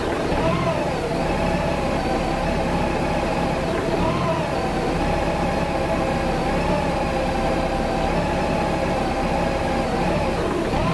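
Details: Warm engine idling about 7 to 8 minutes at 45 degrees outside, radiator fan never cycled; steady drone with a slow waver every three to four seconds, rough surging idle from fuel pump voltage surge.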